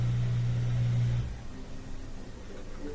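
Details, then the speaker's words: LG washing machine showing LE error during a spin cycle run to drain water: a steady low motor hum of just over a second as the motor activates, only a quiver, no drum spin, then it cuts out. Failed rotor Hall sensor, replaced. "So normally at this point you get some rotation, but something's not working. It might give us an LE error here in a second. You can see kind of a quiver when the motor activates, but no spin."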